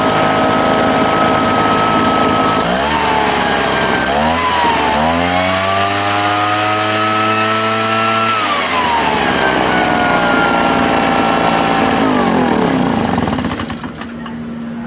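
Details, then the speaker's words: Poulan Pro PR46BT backpack blower after fixing loose carburetor mounting screws that leaked air: two-stroke idles, revs up cleanly, holds high speed, drops back smoothly without bogging. "yeah that's a fix there it wasn't running anything like that before"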